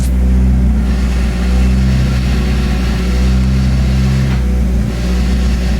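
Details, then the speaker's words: Big-turbo Hyundai Genesis Coupe with aftermarket twin disc clutch, fuel pump float broken: steady low idle with light, even metallic chatter underneath, owner says clutch is loud. Normal twin disc clutch rattle at idle. "You hear that clutch? Look, listen, listen, listen."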